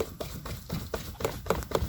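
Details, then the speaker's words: 1992 BMW 735iL E32, driveshaft rocked by hand underneath: sharp clicks about four a second, same clicking heard while driving; excess play, worn center bearing suspected, joints to be inspected after driveshaft removal. "yeah, I should not hear that. Maybe it's the shield here, but yeah, I don't think so."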